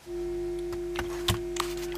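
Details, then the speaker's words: Transistor audio amplifier with high-impedance input, only a 1 µF coupling capacitor between stages and no filter, touched with a finger: steady low buzzing mains hum (50/60 Hz) with handling clicks, picked up through the open input. "well what you hear now when I touch it with my my finger the circuit picks up him now it's gone"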